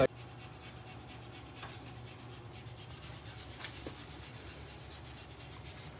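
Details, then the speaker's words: Subaru Forester XT wheel bearing with no play: steady gritty rasping with a fast ripple as it turns. Owner suspects the bearing is worn out and dry; it is being replaced. "It's just the bad bearings. I guess it probably just shot and dry."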